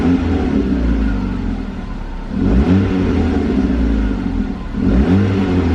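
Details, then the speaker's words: Ford Focus bought from dealer auction as no-start/no-crank, now running, possibly aftermarket muffler: smooth throttle blips rising and falling cleanly with throaty exhaust, no misfire, sounds like a Mini Cooper; normal revving. "i think kind of sounds like a mini cooper that i had it's a focus anyways"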